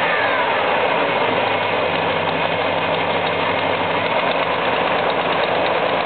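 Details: 1973 Buick LeSabre V8 at idle: even idle carrying a quick, light tick that keeps pace with the engine; engine ticking, source not yet found.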